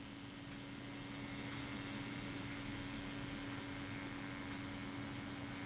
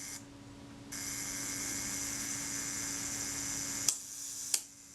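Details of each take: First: Retina Reflex IV camera being serviced: self-timer run down during reassembly, a quiet, even high buzz for about seven seconds ending in a couple of clicks. Normal self-timer run-down. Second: Retina Reflex IV camera during service, shutter cocked and released via self-timer run down by holding the pin back; at the one-second setting the shutter opens and snaps shut after about two-thirds of a second, judged too fast from experience; to be checked on a timer.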